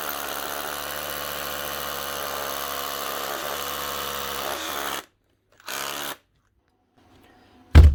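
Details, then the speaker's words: Makita DHR242 18V cordless SDS drill after fitting new rubber cap: motor spins up to smooth, steady hum with no grinding or stutter, stops cleanly; normal running. "that's that new rubber cap that should run a lot better much better"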